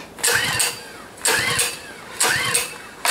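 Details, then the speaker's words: Small recoil-start engines, including a Honda, cold start at about minus 16, choke and fuel on: three stiff pulls about a second apart, each whirring up and dying without firing; won't start, owner suspects cold or no fuel flow. "Well, that doesn't sound good. I don't know, that's not good. Too cold maybe. That's really hard pull."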